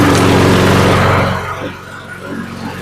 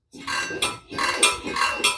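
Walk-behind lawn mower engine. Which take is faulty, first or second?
second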